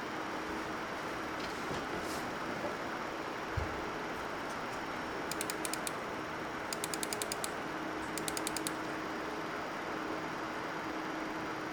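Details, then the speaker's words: MSI RTX 4090 Suprim X gaming at native 4K, around 70°C with a 77°C hotspot: steady fan rush with high, buzzy chirps of coil whine under load. "So as you can probably hear, the card has coil whine, which is quite common for modern GPUs, especially those that can push the frame rates well above 100."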